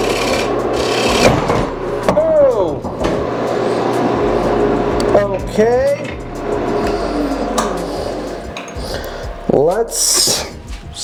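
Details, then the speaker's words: Hollowing a green elm bowl on the lathe: uneven rasping scrape with sudden harsh bursts as the gouge grabs and catches; the catch was worse than it sounded, badly damaging the bowl. "I could definitely hear it kind of grabbing, but I didn't think it was grabbing enough to really do much."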